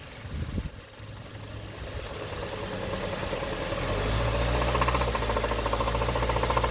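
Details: 2013 Hyundai Sonata after the engine recall, warm idle about five minutes after clearing P0014 and P1326 with the check engine light still flashing: a heavy, regular deep rod knock grows louder and the engine rocks badly. The engine is blown with rod knock.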